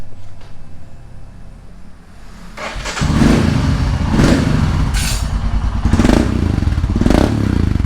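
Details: Royal Enfield Himalayan single after its exhaust was removed and refitted. It cranks briefly, catches with a low thump, settles to an even idle and takes clean blips. Runs smooth with the exhaust sealed.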